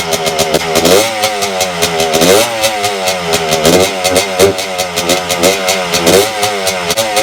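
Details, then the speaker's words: 1992 Suzuki RM125 two-stroke after carburetor cleaning, mixture screw adjusted, choke off: crisp revs that stumble and bog at the bottom, running fine at higher rpm; lean bog, owner suspects an air leak. "running better definitely a lot better than last time but it just still bogs on the bottom and higher rpms it runs fine"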